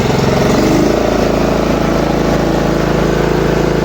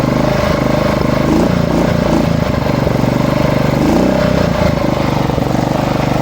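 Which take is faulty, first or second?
second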